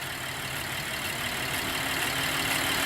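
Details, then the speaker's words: 2010 Chevrolet Traverse after iridium spark plug replacement, throttle body cleaning and clearing of codes, including earlier random and cylinder 6 misfires. Steady, even, low idle with no stumble; there is a slight shake but no missing, and it runs much better than before. "so in the meantime you can see with the codes cleared and everything hooked back up it's island down now and it looks a lot better than before"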